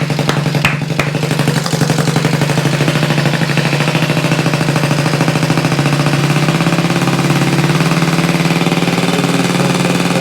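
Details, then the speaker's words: Freshly rebuilt Honda Z50 mini trail small single, just started on electric starter with choke, no throttle cable fitted, idle screw raised: even, steady putter firming up as idle rises, no knocks or rattles; healthy idle. "oh that sounds good woo that sounds good let's do it again this thing was a pile of Parts not that long ago that's awesome"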